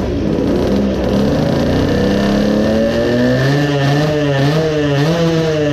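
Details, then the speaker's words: 20 hp two-stroke moped engine with a Chinese carburetor, smaller main jet fitted while chasing lack of power: revs climb unevenly, wavering and stumbling, a sputtering sound of running too rich. "so now when we start it we should get a sputtering concert it does sound like that too..."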